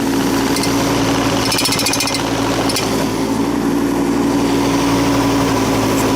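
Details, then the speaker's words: Tracked machine travelling in high gear at 2.1 km/h; steady engine drone with irregular metallic clanks and rattles from the undercarriage; owner suspects the track's inner metal guides hitting the bottom wheels or tracks too tight; unconfirmed. "But it sort of sounds the same. Bang bang. I think maybe the tracks are a bit too tight."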